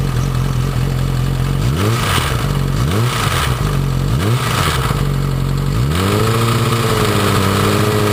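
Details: Yamaha R6 after a highside, timing cover off: sharp throttle blips with light metallic clatter, chain visibly rattling and jumping at higher rpm; cause seems to be the cam chain tensioner, springs bent or not seating, reassembly removed noise, new one ordered.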